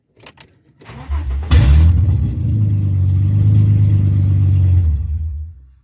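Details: Ford AU Falcon after the interior was cleaned and reassembled, following an earlier fuel problem fix: brief crank, catches cleanly, flares once and settles into a steady, even idle. Healthy start.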